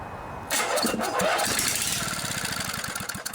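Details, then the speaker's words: Vintage 8 hp Briggs & Stratton rear-engine Snapper riding mower pulled from a scrapyard: with starting fluid sprayed in the intake port it cranks, catches and fires in quick bursts about four a second, showing spark and compression are fine. "sounds like a good engine to me right on let's rebuild that carburetor"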